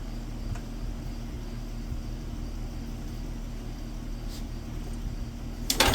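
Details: WWII Wisconsin AB Signal Corps generator, revived after about 70 years unused, almost warmed up with switches on and output checked on a volt meter, about 12 volts on the low AC circuit. Steady low hum, even beat, no knocks or misses; normal idle.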